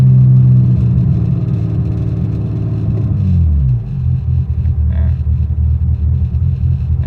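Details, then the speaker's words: BMW E23 735i with M106 turbo swap, new battery, injectors, TPS, ICV, plugs, wires and rotor already replaced, cleaned MAF; lumpy idle sags and stumbles as if dying, then hangs unevenly; owner suspects cold start injector: rough idle with stalling tendency. "it's been having a hard time on cold starts it just wants to die pretty much"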